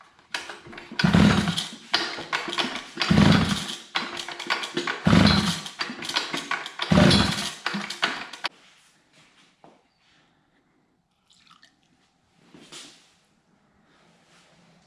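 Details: Feldmann Model 80 earth drill, not run in a very long time, first test after reconnecting fuel line; ignition on, choke on, throttle held open makeshift (missing carburetor spring): four rough pull-cord strokes, never fires, no start.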